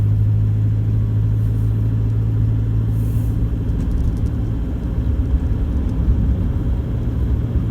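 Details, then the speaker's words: 2014 Toyota Hilux 1KD-FTV diesel, 111k, driving after injector replacement: steady, even diesel rumble, no knocking or rattle; normal combustion, previous injectors weren't working right. "that combustion is beautiful it's normal it's not noisy you can hear that it's a diesel and normal sort of diesel noises not abnormal diesel noises"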